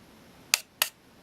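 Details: Olympus XA4 Macro 35mm film camera on fresh button cells, light turned off: two crisp clicks about a third of a second apart, a clean open and close. The meter lengthens the shutter time properly in dim light; normal shutter operation.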